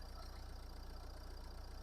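Steady, even diesel idle with a soft regular pulse and no knocks or rattles; the engine sounds healthy.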